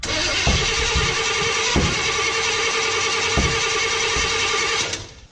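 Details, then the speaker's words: 1955 Chevy pickup: fast even cranking with sharp pops and flames from the exhaust, never catching; distributor found completely loose, owner suspects it installed 180 degrees off, so ignition timing and firing are wrong. "just getting a whole lot of popping out of the exhaust and even some flames so the firing is just completely off"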